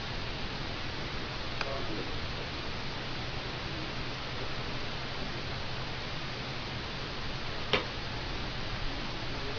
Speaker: You'll hear some clicking. The screen will shut off for about a second. It'll shut off twice. It's testing its capacitors to make sure it works.